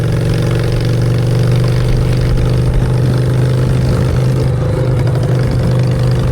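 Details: Honda Shadow V-twin with new custom exhaust pipes, on choke in neutral: deep, even thump holding steady through idle with no miss or knock; healthy engine, normal idle and revving.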